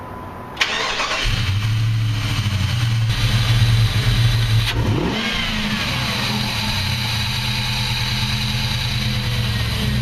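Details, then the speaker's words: 2004 Jeep Grand Cherokee 4.7L V8 started after replacing spark plugs and ignition coils: cranks briefly, catches cleanly and settles into a smooth, steady idle with no misfire or stumble. "Alright, all that's left now is just fire it up, make sure everything's running good, no cell lights come on."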